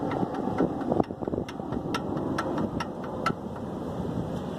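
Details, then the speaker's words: VW AP engine at idle: light, uneven tapping knock; piston skirt slap. "é isso aqui cama a tal famosa saia de pistão batendo"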